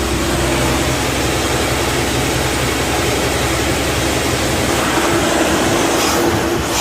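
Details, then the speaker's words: Boyertown Stepvan on a propane carburetor setup, cold start after an exhaust leak fix: it runs a little rough for 10–20 seconds, then smooths to a steady, even idle with no squeal or manifold ticking. Normal idle, exhaust sealed. "And then it'll just smooth out like butter. Starting to smooth out now. Good, no squeal."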